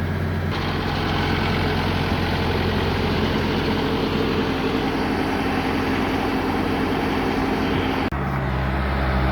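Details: Bobcat skid steer loader diesel after repairing broken wires that had caused it to shut off 1–2 minutes after starting: deep, steady, even idle with no stumbling, misses or cut-outs. It stays running. Normal idle.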